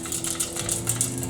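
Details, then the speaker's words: Briggs & Stratton 7.75 Ready Start engine that was racing and revving too high, stopped, drained of oil and gas and flipped upside down: loose metallic clatter of broken governor gear pieces shaken inside the crankcase. "broken governor broken governor pieces yeah let me get a piece of 2x4 to kind of hold this up"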